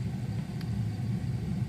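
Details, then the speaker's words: Gas-fired oil-burner heater that had stopped working, relit after cycling the burner emergency switch off for about a minute: steady, even low rumble with no knocks, puffs or sputters; burner running normally. "And then you can hear all that noise. Then it came back on."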